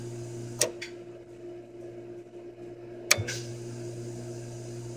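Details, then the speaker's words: Jandy RS pool control box, cleaner pump relay activated: two sharp relay clicks over a steady electrical hum, then the cleaner pump hum starts; relay switching cleanly and pump starting normally. "can hear that cleaner pump turn it on"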